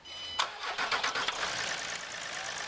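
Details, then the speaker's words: Land Rover Discovery 4 SDV6 3.0L diesel after replacing the failed drive belt tensioner: quick crank, fires cleanly, settles into an even idle with no rattle from the belt side. "oh oh that sounds sounds like a newborn baby purring yep excellent so there we go that's the job done"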